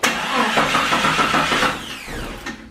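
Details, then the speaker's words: 1997–2001 Jeep Cherokee XJ cranks briskly but won't fire after a paint job, despite a charged battery and a new fuel pump heard priming; the owner suspects the crankshaft position sensor, with the camshaft sensor unlikely but not ruled out; crank, no start. "you can hear the fuel pump neon pry and all we do now is see that it wants to start but it just doesn't"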